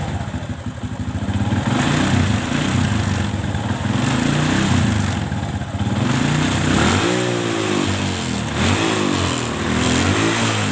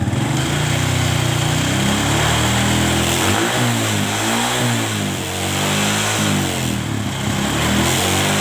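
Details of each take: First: Kawasaki ZX with a carburetor problem, fine at idle but revved hard: the engine revs up unevenly, then stumbles and sags as throttle opens, rough and lacking power at high rpm and may die; owner suspects carb or spark plug cap, unconfirmed. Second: Kawasaki ZX motorcycle after carburetor vacuum and idle adjustment to cure high-rpm popping and midrange hesitation: engine picks up cleanly and evenly under gentle throttle blips, no stumble or popping; carburetion is clean and responsive.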